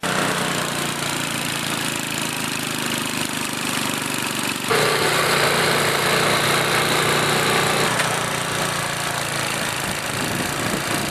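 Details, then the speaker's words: Normal running of an older Murray/Noma snowblower after secondary auger cable replacement: small engine holds constant speed, tone shifting briefly under load, no knocking or slipping; severed cable was the only fault, now blows snow. "so as you can see it blows no good I know that that's all that was wrong with it"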